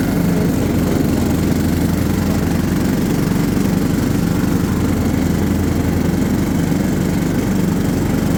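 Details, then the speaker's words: John Deere LT150 mower with replacement 15 HP Kohler engine, freshly swapped and mowing grass: steady, even single-cylinder drone holding speed, no misses or knocks; runs healthy. "all right she seems to do good we'll probably run it for a little while just burning all the oil off of stuff etc etc but uh she's ready"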